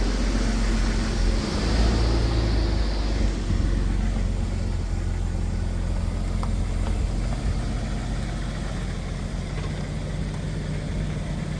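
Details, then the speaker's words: 1996 Jeep Cherokee with manual transmission, backed up with parking brake question raised: steady low engine rumble with an even beat, no knock or grind; sounds normal, normal idle. "listen to this. That sounds normal to me."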